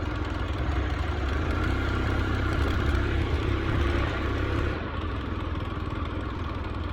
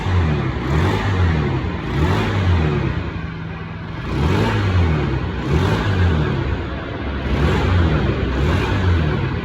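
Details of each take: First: Carbureted Honda Scoopy after camshaft gear and flywheel T-mark timing were re-aligned: uneven low drone that bogs and sags, won't rev with throttle; cause found to be loose, non-original flywheel nut letting flywheel slip on a damaged woodruff key. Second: Honda Scoopy carburetor scooter after cam gear timing mark realigned to the T mark and original carburetor refitted: engine revs up cleanly in quick even blips and drops back, no misses or knocks, RPM responsive again; normal revving after repair.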